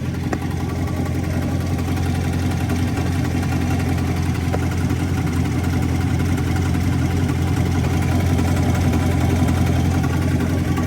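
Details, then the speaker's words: C7 Corvette at idle, heard from underneath: steady deep idle with a fast, uneven hard knock about two to three a second; owner suspects the transmission area at the rear, source unconfirmed. "I can hear something like knocking hard as [ __ ] oh [ __ ] hold up something is not right and it's coming from like this area right here honestly sounds like the transmission area that back area"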